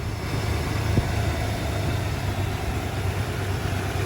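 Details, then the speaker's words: 1995 Ford F150 after swapping the factory power steering pump for a Saginaw pump, idling in park with steering wheel still: low, steady idle rumble with no whine on top; pump runs quiet, normal idle. "All right, let's close it up. It's nice and quiet."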